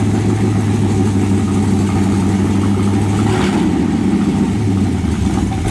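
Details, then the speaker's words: 1923 T-Bucket kit car, carbureted V8, cold without choke: lumpy low idle that sags and nearly dies about halfway through, then recovers; owner says it needs choke. "No. Come on, man. She needs a choke. She needs a choke."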